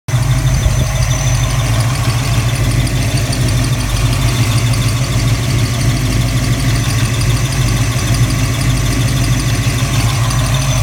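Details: 331 V8 at operating temperature idling with a heavy rumble and a faint steady high-pitched squeal from the rear of the engine; flex plate looks uncracked and secure, owner unsure if it is a bearing.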